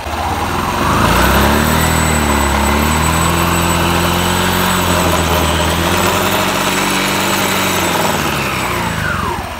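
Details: Honda Beat scooter during CVT service: steady even idle, low smooth hum, no rattles, knocks or slipping; CVT drive healthy at tickover.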